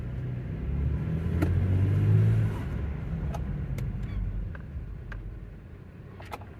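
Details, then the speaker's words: 2016 Toyota Tacoma with rear lift kit/air bags, braking to a stop on a test drive after repair: low road and engine rumble with no rear clunk, previously a loud clunk when the rear articulated on braking; air bags now unaired. "I'm gonna brake, normally loud clunk when I stop. Oh, nothing."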